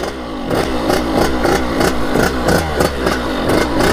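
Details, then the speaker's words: KX80 big-bore two-stroke after new head gasket and cylinder head repair, coolant leak fixed: rapid even throttle blips rising and falling cleanly with no misfire or knock, running crisp; normal revving. "It's running like really crispy. Man, this sounds really good. I'm happy with that."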